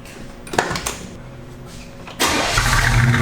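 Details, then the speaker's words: Barn find truck with original paint, said to run and drive fantastic: quiet lead-in, then it catches at once and settles into a strong, even V8 idle with no misses or knocks; healthy start and idle. "the bed is is exceptional in this thing and like alex said it runs and drives just fantastic fire it up"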